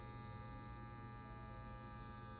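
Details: Restored 1953 Chevrolet tube car radio fed 6 V from a supply module, with an added FM/Bluetooth module: a soft, steady low buzz from the vibrator power supply with no crackle or dropouts. Normal operation.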